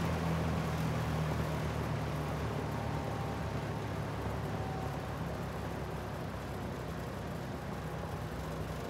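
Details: 1973 Lakewood S-23 fan, 2.4 amp motor, first run, on low: even low hum with soft steady resonance, no rattle or scraping; runs smoothly and healthy.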